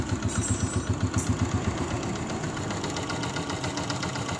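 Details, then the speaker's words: 2022 Honda CG125 with magnet case refitted: steady even single-cylinder idle, about four pulses a second, no tapping or rattle; only the engine's base sound remains. "तो दोस्तों जो engine की अपनी एक base होती है व आवाज है बाकी बिल्कुल भी क्लियर होगी आवाज बिल्कुल ही बे आवाज दोस्तों"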